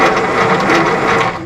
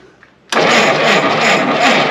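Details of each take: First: 1952 Willys pickup with F4-134 engine, off the road since 1991 and previously seized, starter jumped at the solenoid: brief, smooth, even whirring as the engine spins freely; no binding or grinding, cranking healthy. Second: 1952 Willys pickup, off the road since 1991: two long cranking bursts at an even 3.5 turns per second, no catch; cranks but won't start, cam timing apparently off a tooth, suspected jumped gear.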